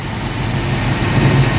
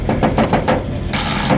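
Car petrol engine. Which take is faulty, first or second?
second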